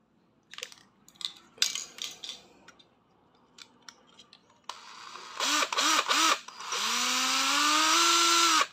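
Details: Used Japanese Hitachi 12V cordless drill tested unloaded: a few trigger clicks, short speed blips, then clean motor whine rising smoothly and holding steady, speed control and brake work, chuck not stuck; normal running.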